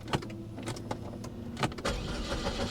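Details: Abandoned 1980s Toyota Supra with 110,648 miles; uneven cranking thumps under two seconds, then it catches and settles into a steady, quiet idle; engine cranks and starts.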